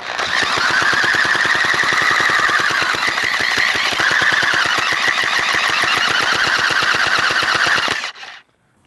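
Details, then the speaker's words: Stihl chainsaw that sat 7–8 years, with the carburetor refitted and fresh gas; the pull cord is extremely hard to pull, with rapid, uneven chatter that never fires; afterwards the carburetor is found badly flooded. "i can barely turn the engine over that is ridiculously hard i'm pretty sure it was not that hard to turn over when my grandfather was using it in fact no engine should be that hard to turn over"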